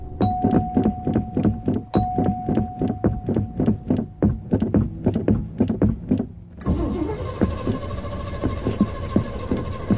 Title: Hard Start 2